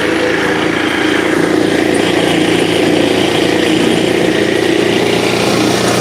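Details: Finished scooter's small single-cylinder engine idling right after startup, with the owner noting it might be low on gas. It ticks over smoothly and evenly with no misses, a normal idle.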